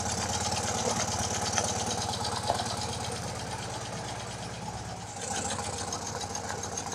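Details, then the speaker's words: BMW R90/6 Airhead boxer twin idling after top-end refresh and reseal with one valve and guide replaced: sharp steady tick about three per second over the beat; top-end valve train noise persists, cause unknown. "oh no I can hear the tick tick tick I don't know if it's coming out to my microphone"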